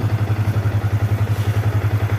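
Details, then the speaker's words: Yamaha New Vixion Lightning single-cylinder after fixing lost electrics and ignition (neutral light dying after seconds) by cleaning battery, fuse box and ignition-switch sockets: starts on the starter, even thump about eight beats a second, steady with no stumbles; healthy idle. "kita starter langsung dia hidup ya ya kita gas-gas sudah enak teman-teman"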